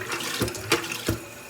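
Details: American Standard toilet after replacing the flush seal and reassembling the flush mechanism, water back on: short rush of water with a couple of sharp surges, then steady refill hiss; flush valve opens and works normally.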